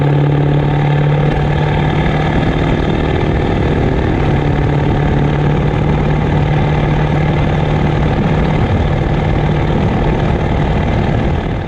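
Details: Ford 7.3 Powerstroke diesel with a rebuilt upgraded larger later-model turbo and 4- or 5-inch exhaust, otherwise stock; steady even idle with low drone and a faint turbo whistle on top; normal idle with healthy turbo.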